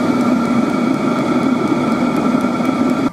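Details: 5 kW Chinese diesel heater with spare burner module, dosing pump at low 2 Hz, mic about a meter away: faint steady tick about four to five times a second under loud fan hiss; pump pulsing normally.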